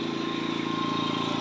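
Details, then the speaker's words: Generator charging batteries and running a house on a DIY solar setup: steady, even engine thrum with regular beat, revving up automatically as the system calls for more power. Running normally under load. "so now you can hear the generator automatically reving up because this is calling for more [Music] juice so it's calling for more"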